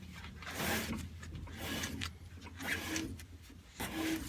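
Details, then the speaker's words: 1967 El Camino on late-model BMW rear wheels (5x4.72), hand-rotated after torquing: scraping rub about once per turn as tire catches the chassis inside. "And here's a little quick video of the wheels mounted, torqued, and rotated so you can hear the rubbing on"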